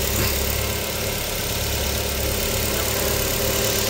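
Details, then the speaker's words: Nissan Almera with a hard-start problem, after spark plug replacement under the intake manifold. Starts on one click and settles to a steady, even, smooth idle. Normal idle; the fault was the spark plugs. "Ayan mga bossing, one click. Ang sira lang nito mga bossing ay spark plug lang"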